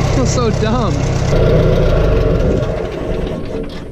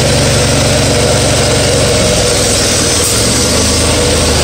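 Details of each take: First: Farmall 140 industrial tractor, sat in woods over 10 years, after freeing stuck engine, valves and clutch and correcting spark plug wiring that fired wrong cylinder: steady low rumble, even firing, no miss; engine now idles smoothly, sounds good. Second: Farmall 140 industrial tractor, revived after 10+ years sitting, driven after a clutch repair, in reverse then second gear: uneven, lumpy running with a loping beat and stumbles under load; a misfire because two plug wires were swapped on the distributor cap.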